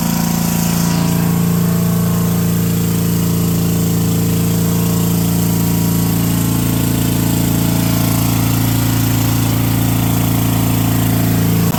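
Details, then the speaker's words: Brushless 10 hp junkyard generator (about 5,500 W), fed by an electric fuel pump, under light and angle-grinder load: a steady single-cylinder drone, pitch shifting slightly around six seconds as the governor settles; running cleanly. "I hooked an angle grinder up to this thing while that light was running, too, and it still didn't even notice it was there."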